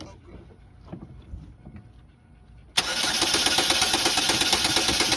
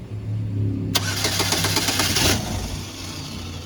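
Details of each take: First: 2011 Chevrolet Malibu that had shut down and would not crank; after replacing a blown injector fuse and reinstalling the powertrain relay, the engine catches at once and settles into a steady, even idle, starting and running normally. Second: 2011 Chevrolet Malibu that shut down at a stop sign and then wouldn't crank; after key programming the starter spins the engine in steady rapid beats for about 1.5 seconds, then drops off without catching. Cranks but no start.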